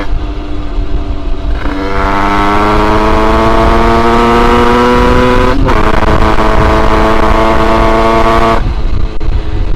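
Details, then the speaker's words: Two-stroke 86cc alloy top-end during break-in, with a BRK 80-90 low-route exhaust, 28mm Keihin PWK carb, Polini reed block and MVT DD ignition, seemingly running cold: a loud ragged drone that pulls through the revs but stays burbly. Running too rich. "Même avec un passage bas, ça reprend quoi. Et encore, comme vous l'entendez, elle est trop riche."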